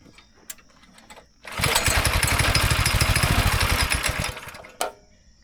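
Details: Go-kart engine after sitting about 3 years, run about 2 hours to burn out bad gas in a tank pocket draining missed: catches, runs a few seconds with uneven lumpy wavering beat, then cuts out; still runs rough.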